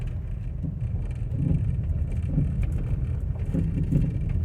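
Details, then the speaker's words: 2011 Mercedes GLK350 4Matic on a road test: irregular hollow knocks and rattle from the front end over uneven pavement, felt through seats and wheel; struts recently replaced. "okay today's challenge is to shake shake down that horrible rattle in the front of the car"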